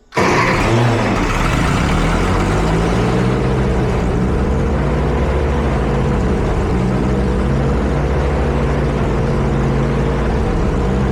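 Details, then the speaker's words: Ferguson tractor engine, fuel back on, starts and holds a steady fast idle with zero choke and won't settle down; high idle, idle needs turning down. "First off, that is zero choke, which I couldn't get it to really rev that high very well before that. So, that's awesome. Second off, I need to turn down the aisle. Most definitely."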